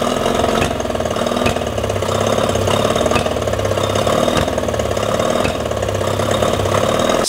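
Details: Yamaha 20 hp two-stroke outboard, at night, water on, carbs just cleaned and bowls primed, timing done previously: ragged idle with irregular pops and stumbles; still lean-sneezing, almost no better; reed valves checked, head gasket was leaking, cause not confirmed.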